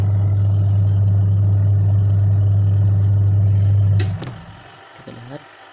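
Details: Washing machine after repair for the drum spinning only one direction, test run: steady low motor hum for about four seconds, then cutoff with light clicks as the drum reverses, now turning both left and right; washer runs normally.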